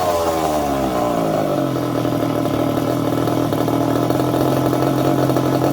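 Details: Second-hand 1/5-scale RC Baja with a small two-stroke engine: buzzes high, then drops into a steady, even idle with no sputter or misfire, normal running.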